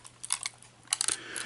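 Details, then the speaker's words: Faulty clock camera being shaken: light tinny clicks and skitters in short bursts from an SD card stuck loose inside the case after it went in through the slot. Owner hopes wiggling might get it out. "I don't know if, as I said, by sort of wiggling it and arranging it in some way, the card might come out."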